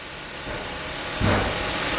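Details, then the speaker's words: 2014 KIA Ceed 1.6 G4FG, manual, 156,000 km, after rebuild for piston knock (block bored to repair size, head reassembled): even smooth idle, no knock or tapping, faint alternator whir; normal idle. "собран говорим сид готов ижевск немножко по шум ливают генератор но 156 тысяч пробега на него немало а"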